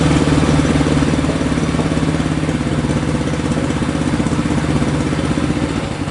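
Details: 1965 Honda CB77 Super Hawk 305 twin, sat 20 years, idling after carb cleaning, fresh fuel and a battery, without air filters. Steady, even putter with a firm low beat and no knocks or misses; idles smoothly.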